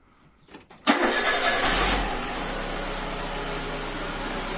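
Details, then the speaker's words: Citroën Saxo VTR just after a timing belt change, started on the jack: quick crank, catches cleanly and settles into a smooth, even idle with no rattles or slapping; a normal start. "There we go. Purring like a kitten."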